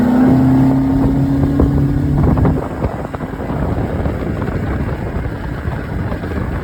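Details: Mercury 115 outboard after bad injector and shift switch: steady drone at constant pitch fading under wind and water noise, no misfire or stumble; normal running.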